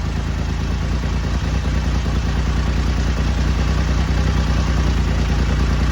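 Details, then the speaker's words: BSA Rocket Three Mark 2 five-speed (A75V) triple after carburettor service for erratic running, not yet warmed up: initially over-choked, with less choke a steady, even idle at about two and a half beats a second, no stumbles; normal running. "took a little to start it because I think it was over choking it so as soon as I backed off the choke a bit and give it a more bit more air it was fine"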